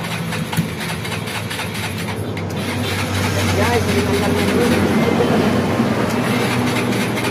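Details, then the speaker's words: Stalled motorcycle brought to shop, oil changed, carburettor refitted, first start attempt with a small test wire to a big battery: slow, uneven cranking that struggles before catching into a rough idle; cranking weak. "hindi kaya yan, malambot."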